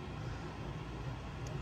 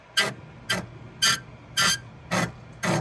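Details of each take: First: Voxelab Aquila 3D printer Z axis lowering after greasing the Z lead screw that had been squeaking: only a soft low rumble, no squeak, chatter or vibration. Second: Voxelab Aquila X2 3D printer, Z axis raised manually: loud raspy squeaks about twice a second from the dry Z lead screw, the same problem also seen on an Ender 3 V2, later fixed with grease.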